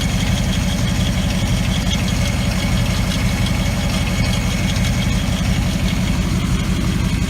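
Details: 2014 Maserati GranTurismo, fully warm engine, on jack stands with the inspection cover off: steady low drone with a faint rhythmic knock around the transmission/bell housing. Heard only when warm. Cause unconfirmed.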